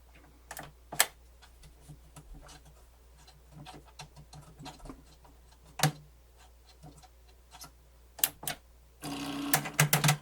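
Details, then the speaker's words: Pioneer CT-W802R double cassette deck: scattered irregular clicks then a brief strained whir as cam mechanism tries to lift and fails; cam belt so loose it lacks lift power, slipping. "ah okay so what's happening belt is so loose that it doesn't have enough lift power"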